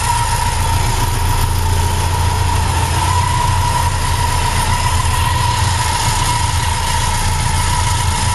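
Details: BMW K100 motorcycle idling: steady busy metallic rattle over low exhaust beat and a thin whine; engine rattle at idle, cause unknown.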